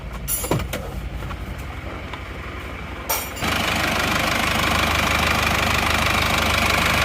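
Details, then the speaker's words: Isuzu Panther diesel with replacement used block, warm at stable 85°C coolant temperature: after startup clatter settles into steady, even idle, slightly rough, no knocks, exhaust smoke now very thin; normal warm idle. "Jadi kalau temperatur ini 90 ini masih aman kita dengarkan suara mesinnya"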